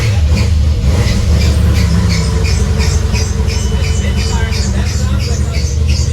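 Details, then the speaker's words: Built Volkswagen VR6 engine, aftermarket coil pack, first runs after rebuild: loud, slightly uneven running misfire with rapid high repeating chirp from belt, suspected not tight enough; misfire cause unknown. "Now you gotta figure out why it's misfiring. That's a lot better though. That's at least starting out. The belt, I don't know why the belt sounds like that though."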